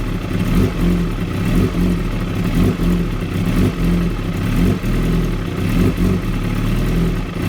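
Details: 2016 Kawasaki ZX-10R sport bike idling with an uneven, lumpy beat and irregular surges about once a second; very rough idle, cause unknown.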